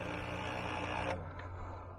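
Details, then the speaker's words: Paper shredder worn out from shredding thick cardboard: motor hums and grinds harshly, then a weak labored hum, stuck and no longer shredding even paper. "sounds dead it's grinding well it won't even shred paper anymore you hear that boom stuck dead"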